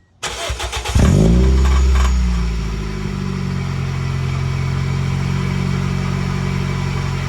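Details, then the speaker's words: Muffler-deleted Toyota Echo cold start: starter cranks, engine catches, then a loud, slightly uneven cold idle with a metallic buzz; exhaust rattles badly, sounding like a cracked flywheel ring gear, heard from under the front quarter panel. "as you could have probably very clearly heard the muffler rattles insanely i it's it's annoying it sounds like the ring gear on the flywheel is like cracked in half and so loud"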